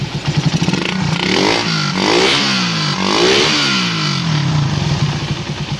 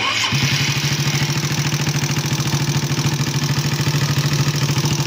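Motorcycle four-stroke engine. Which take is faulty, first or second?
second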